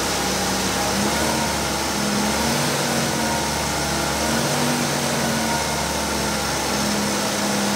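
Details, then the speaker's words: Opel Manta B 2.0E CIH engine after correctly setting the wrongly adjusted breaker points and refitting distributor cap, run after cold start; smooth, even idle without misses, knocks or ticks — normal idle. "चलो इंजन शुरू करते हैं और देखते हैं कि यह अब कैसे चल रहा है , यह कितना सुपर चल रहा है,"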